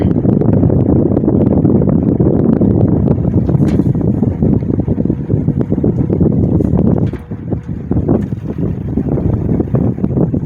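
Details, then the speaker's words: General Electric motor after defect repair, running with a steady hum and rough, rattly bearing chatter; better than before but bearing noise remains. "It's better than what it was before. You still hear that bearing chatter in there."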